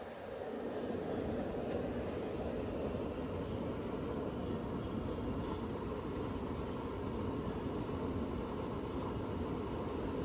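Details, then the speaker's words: Lennox XC20 five-ton variable-speed HVAC unit starting at full capacity with a UV light running: a soft, steady airy rush builds slowly up to speed, then holds an even hum without rattles. This is normal blower spin-up. "it's a variable-speed so it takes a while for it to come on catch up to the speed"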